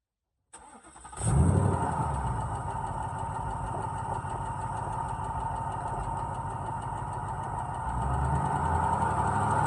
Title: Is this piston slap or engine rattle ??